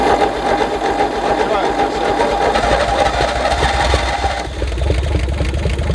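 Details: 1964 Chevy Biscayne six parked 30+ years, after getting spark at the points: rapid fairly even firing chatter that catches and runs briefly on a dose of brake clean; engine fires, not just cranks.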